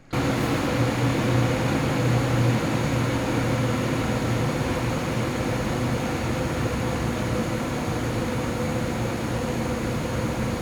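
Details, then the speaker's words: Lian-Li O11D Mini PC case, XPG Vento Gentle Typhoon fans on a curve capped at 1900 rpm, ramped up under Cinebench load, before the mod: steady fan roar with a loud droning howl easing as fans spin down; airflow through top panel slits causes the howl. "it's only when it actually ramped up there is a very loud howling noise and i found out where it's coming from"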